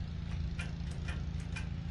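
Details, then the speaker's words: 1955 Farmall Cub after new starter and carburetor, trying with little choke and throttle: sharp clicks about three per second over low rumble, engine never cranks; owner suspects fault in the brand-new switch. "Little choke. No choke. Little throttle. Uh-oh. I think we got a switch issue."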